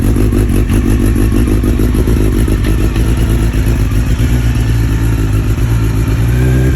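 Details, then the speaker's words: 1993 Honda CBR900RR carbureted motorcycle, rebuilt from scratch, idling unevenly with random misfire and idle drifting up and down; cause found to be aftermarket spark plug caps with failed resistance (OEM spec 5 kΩ). "one of the most nagging issues that I had with this motorcycle was that it would always have a just a random misfire all the time and it wouldn't idle correctly the idle would just go up and down all the time"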